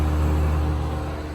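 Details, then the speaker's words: 1980s Super dehumidifier with R-12 refrigerant, first test after new fan motor fitted, cabinet assembled without grille and bucket: smooth low steady hum, constant tone, no rattles or grinding; pulling lots of air, getting cold, running normally. "here goes nothing nice oh yeah that's pulling in a whole lot of air from the back it's already starting to get cold down here"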